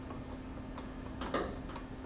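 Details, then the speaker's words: 2012 Lincoln MKZ on a lift, checking a front-end clunk: a few light metallic clicks as a front brake caliper is rocked by hand, normal slight play, so the calipers are not the cause. "if this is normal here this isn't the problem let's take a look at the other side again that's normal play"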